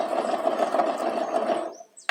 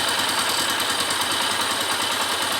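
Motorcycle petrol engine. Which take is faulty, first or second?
first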